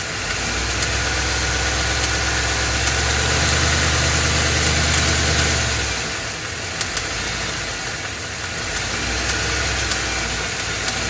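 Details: Ford F250 7.3L Godzilla gasoline V8 on a hot day, serpentine belt removed per a TSB, running with slight load. Steady, regular knock about four beats per second persists with the belt off, so it's internal; engine later replaced.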